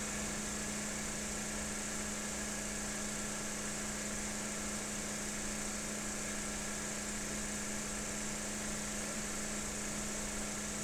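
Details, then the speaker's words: Lab synchronous motor under 6 N·m prony-brake load with the field current removed, drawing about 12.2 A line current. It stays in synchronization on residual magnetism. Steady hum with a strong low tone, no pulsing: normal synchronous running. "got a line current at 12 amps it's actually still running in synchronization so this this has got enough residual magnetism in it to uh to maintain the uh the load"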